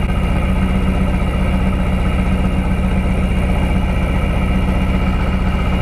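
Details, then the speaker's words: 1999 Lotus Esprit V8 with ECU reinstalled after swapping coil drivers: lumpy, uneven idle with a steady stumble; the no-spark misfire on two cylinders persists. "oh i can hear it i hear it missing there we go all right so now we're on a cylinder that had no spark before"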